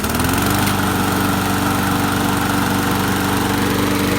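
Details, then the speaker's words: Craftsman 21-inch mower, Briggs & Stratton 550 series, salvaged from the trash. With a blade now fitted acting as a flywheel, it runs with a fast, smooth, high-revving single-cylinder buzz and no stumbling; still a bit smoky from short run time. "So now it revs up a lot higher because the blade has a flywheel. It's still smoky because we haven't run it that long."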